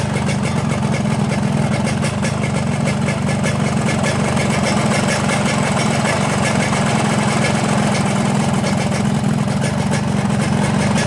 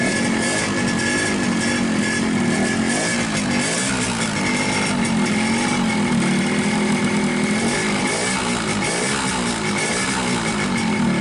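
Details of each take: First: 2003 Yamaha RX-King two-stroke after cylinder rebore and new piston: steady, smooth idle with no rattle or knock; earlier rattle was from a loose, wobbling piston, now fixed. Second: 2003 Yamaha RX-King two-stroke with low compression and unstable idle: revving unevenly and hunting with a hollow rattling slap on the engine note; piston slap from a loose, worn piston rocking in the bore, fixed by new piston.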